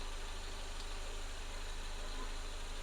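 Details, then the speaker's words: Mercedes-Benz 190E 2.0 (W201) idling after replacing the leaking rear-left valve cover gasket. Quiet, even idle with a steady low pulse, no ticking or misses, no leaks seen. Running smoothly at normal idle. "all right so the engine is running in its own way it sounds good I can see no leaks or something the engine is running fluently"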